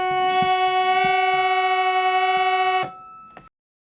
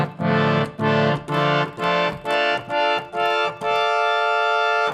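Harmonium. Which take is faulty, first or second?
first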